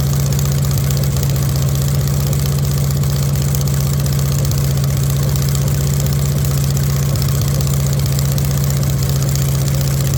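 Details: VW Beetle rat rod air-cooled flat-four at first start: steady idle with slight uneven lope, dual carburetors not yet synchronised or tuned; running a little rough, rough idle.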